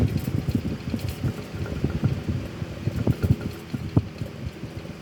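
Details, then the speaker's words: Antique 12-inch Emerson desk fan before restoration, running on low with oscillation barely working; a rough, irregular rumble and knocking from dry, unoiled motor bearings. "you can hear it's pretty noisy because of because of the no oil thing because it doesn't have any oil"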